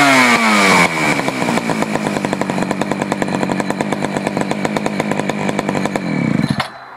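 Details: Poulan 4200 chainsaw, warmed up after cold start, low carburetor screw adjusted because it ran lean: crisp, even two-stroke buzz at high revs, then a clean drop-off without the earlier muffled sound; running well.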